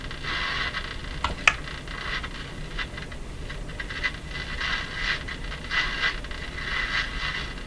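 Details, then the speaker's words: Sony TR-712 transistor radio on bench power supply, just after replacing all seven electrolytic capacitors: steady hiss and crackle with faint wavering tones; works but receives poorly, owner suspects shop location or needs alignment. "well the good news is it radio's working it's just not receiving well again in my shop maybe that's the reason or um or it may need some alignment work done to it also"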